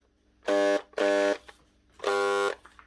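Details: 2011 Makita HR2811F SDS hammer drill before repair: three short bursts of harsh buzzing hum on trigger pulls, motor never spinning up; burnt-out motor armature, fixed by replacing the armature.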